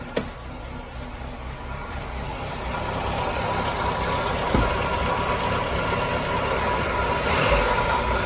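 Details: VW Polo Mk2 with Pierburg 1B carburettor troubles, after fitting a Vauxhall Nova carb with the original throttle mechanism: sharp catch as it fires, then steady even idle that holds without misses or hunting; normal idle.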